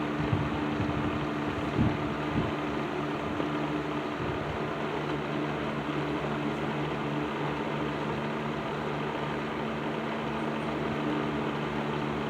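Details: Patton 12-inch box fan with black Patton-branded Fasco motor, serviced, running low speed in a window: steady hum, soft low drone, faint light rattle, no grinding or bearing noise; less rattly than before, normal running.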